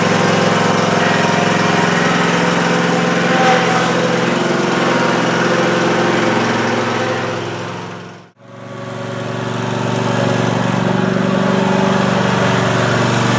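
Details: Cub Cadet ZT1 Ultima zero-turn mower test-run after installing a new deck belt and blades (the old belt had melted onto the PTO pulley): a steady, even engine drone with no knocks or squeals, briefly cut off and picked back up. Running healthy.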